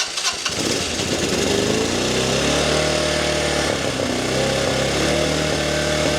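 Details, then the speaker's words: 1985 Honda Elite scooter after refitting fuel lines: catches after cranking, runs unevenly with wandering revs and stumbles, likely to die soon; fuel leaking from several places, petcock suspected. "it kind of runs but I think it'll very quickly not run again"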